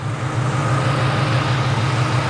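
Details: 1998 Cobra at warm idle after a new AC system, oil change and evacuate-and-recharge, going through heat cycles with a few coolant bubbles: even, steady low idle with no misses, knocks or belt squeal; the engine is running healthy.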